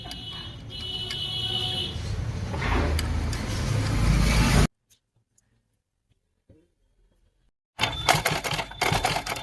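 Quick, even mechanical clatter from the needle drive, a pause, then the same even clatter again; the machine is stitching normally.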